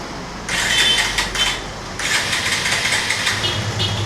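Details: Bajaj Avenger 150 with intermittent low electrical power, after installing a new CDI coil (power coil tested fine): two short cranking bursts, then engine catches and runs with even crisp beat; starts cleanly.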